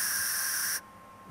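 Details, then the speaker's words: Eastwood MIG 175 welder, mic right by the torch: steady shielding-gas hiss continues about three seconds after the trigger is released, then shuts off cleanly; the non-adjustable post-flow is working normally. "post flow is important because it cleans up as your weld pool is is shrinking and cooling post flow will keep those contaminations from getting stuck down in your well"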